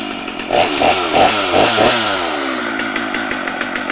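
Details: Stihl MS250 chainsaw with 18-inch bar, cold start on choke, chain brake on: catches, revs up and down a few times, then settles into a steady high buzz. Normal healthy cold start and running.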